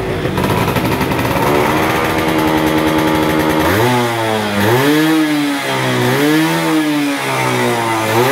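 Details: Yamaha F1ZR 110 two-stroke, stock engine and ignition, after replacing the faulty carburetor with a new one: crisp idle, pitch climbs and falls smoothly with each blip, no stumbling or hesitation; clean, responsive throttle. Healthy revving.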